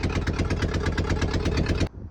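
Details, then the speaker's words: 1966 VW Beetle air-cooled engine after new stainless steel exhaust install: lumpy idle with sharp puffing tick on each exhaust pulse, exhaust gasket leaking because the retaining stud was stripped/snapped. "I started it up and I could hear it was breathing a little bit from one of the gaskets, and that stud was stripped."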